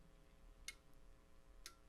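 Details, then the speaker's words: Icom IC-7300 internal antenna tuner on 40 meters, mic near the radio: two sharp relay clicks over quiet hum as the tuner recalls memorized settings while tuning across the band; normal operation. "as i tune across the band on 40 meters you'll hear some relays clicking which is the tuner changing settings as i get to different areas where it remembered different settings"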